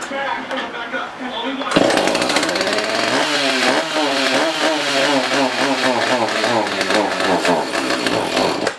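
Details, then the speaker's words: Husqvarna 450 X-Torq chainsaw, unused about two years, on bench with bar and chain removed, fresh fuel added: fires but revs waver and sag instead of climbing, won't hold steady run or reach high speed; fuel starvation, carb diaphragm, fuel line and filter suspected. "8 unit will not maintain a steady run we've now installed 17 o worth fuel in the unit so we're going to try it again"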